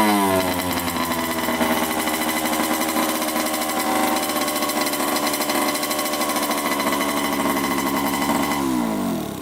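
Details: 1987 Honda CR80 two-stroke dirt bike, after adjustment: fast sustained buzz well above tickover, winding down when shut off; idle likely too high.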